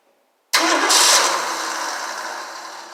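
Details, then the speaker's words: 1968 Ford Mustang Gold Nugget special, first start attempt during restoration with fuel squirted in: cranking burst briefly catches then dies; owner suspects losing spark once it fires or something wired wrong. "Well, it's like I'm losing spark once it hits. Here's everything's hooked up. Not sure why it won't go."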